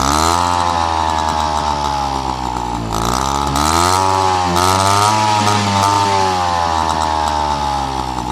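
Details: Peugeot 103 RCX moped two-stroke, first start after full engine rebuild and carb cleaning: sharp buzz with even firing rising and falling through blips, picks up crisply; healthy.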